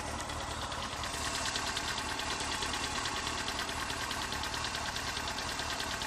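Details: Honda CBR 954RR running: fast, light metallic ticking keeping pace with the engine, heard from front near exhaust manifold, softer cold since oil change, louder when very hot and with rpm; source not found.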